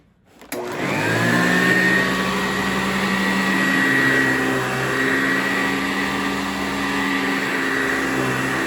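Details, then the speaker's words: 1987 Eureka Sanitaire SC648-B upright vacuum with metal motor, bearings greased and new belt: motor spins to a steady high whine with rough rumbling undertone; noise attributed to the worn, original or 10+ year old brush roll. "most of this noise that you're going to hear that might sound like bearing noise is going to be from the brush roll because i believe this might be the original one"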